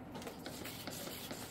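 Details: Arrows RC Bigfoot plane with the Vector gyro, B switch in the gyro position: fine, busy whirring and ticking chatter with bunched clicks as the servos hunt constantly under gyro correction, which is normal.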